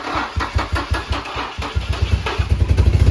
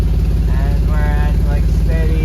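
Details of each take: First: Nissan G35 VQ35DE just reassembled, exhaust leak and coolant on belt: brief crank, catches, then uneven pulsing idle; starts only every other time, cause unknown. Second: Nissan G35 VQ35DE at operating temperature, in drive: smooth even 650 RPM idle, no knocks, misses or stumbles; right where it should be, though a code persists.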